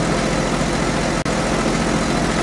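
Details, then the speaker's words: Nissan Skyline R32 GTST turbo six on E85, just after oil change, idling a couple minutes to purge air from oil filter and cooler line: steady, even idle hum, no ticking, knocking or rattles; normal idle. "So let's go let that run for a couple of minutes, let push all the air out, let it rest for 5 minutes, let the oil drain, and then recheck the oil."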